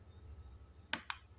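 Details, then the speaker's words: Godox Mini K-150 studio flashes after repair of no-firing and power-drop fault, fired by trigger: two crisp pops a fraction of a second apart over room hum. Both units fire cleanly and normally. "Ya teman-teman udah alhamdulillah dua lampu ini udah normal lagi udah hancur lagi di Trigger mau ya itu ya mantap teman-teman suaranya juga Pluk begitu ya"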